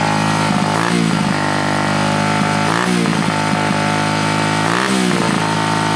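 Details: 1967 Honda CL90 single-cylinder, ignition timing just set to the F mark: restarted after cutting out during clutch adjustment (idle had been set low), it screams at high revs with brief surges and never returns to idle; throttle sticking open.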